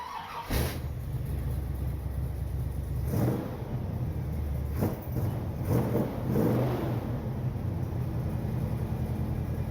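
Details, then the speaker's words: 1979 Corvette V8 with new glasspack mufflers, after tightening a sticky accelerator pedal, microphone by the muffler: steady deep rumble that stays even through a few light throttle blips, no puffing or ticking; runs healthy, sounds better than before. "We're good. And sitting here by the muffler, it sounds much better."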